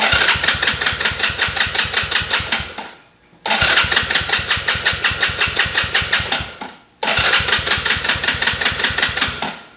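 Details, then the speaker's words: Small kids' ATV with electric start, after replacing the broken starter switch: three bursts of steady cranking, about three compressions a second, never catching; cranks but won't start, owner suspects the dead battery, now on charger. "so it's definitely working now and now he's Gotta Get It Started hasn't been starting in a while kind of had a problem and just haven't got around to fixing it"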